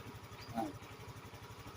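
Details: Yamaha Mio 125i scooter that starts but won't rev, orange warning light stays on; fuel pump checked normal, fuses checked: quiet, fast, even putter with no knocks or misses; normal idle.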